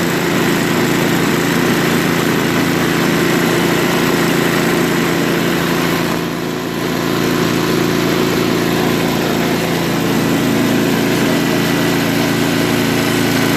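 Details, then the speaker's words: Craftsman 524 track-drive snowblower that only ran on 75% to full choke, after quick float-bowl and jet-nut carb clean: small single-cylinder engine holds steady, even drone with no hunting or surging; runs well at idle. "well it even runs well and idle no that's very good so we know that the starter works runs well at idle and it will grow warm up you know"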